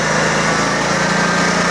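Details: Kawasaki 19hp small V-twin, being upgraded to 23hp, runs a steady, fairly high-pitched buzz with no hunting after an adjustment. The idle sounds set a touch high; it is cold out and the gas is old, so the cause is unconfirmed.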